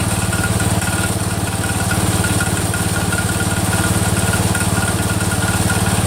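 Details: Cub Cadet 102, freshly rebuilt Kohler single-cylinder: steady idle thump with light tick keeping time; damaged front pulley coming apart, not a loose rod.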